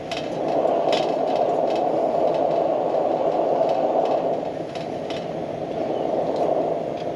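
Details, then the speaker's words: Military pressure lantern, unlit for several months, with the generator overfueled before lighting and more pressure pumped in to warm it: a steady roaring hiss broken by irregular pops and crackles as excess fuel cooks off. "Give her some more pressure. She'll warm up. Again, I overfueled it. That doesn't happen very often."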